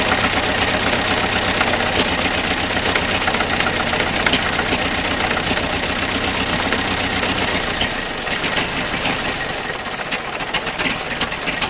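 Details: Circa-1927 (year uncertain) Ford Model T pickup barn find, first start after sitting over 25 years; components cleaned, only fresh gas and crankcase oil. Four-cylinder settles into a loose, slightly uneven chuffing idle around 200 beats a minute; runs fine.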